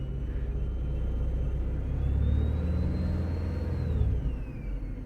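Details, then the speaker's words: Customer's car on a hot day: thin whine rising under acceleration that drops off when the accelerator is released; mechanic first suspected the alternator, then reconsidered. "I don't know if you can hear it's like a whining noise like a like a it drops off when you let off of the accelerator so here goes"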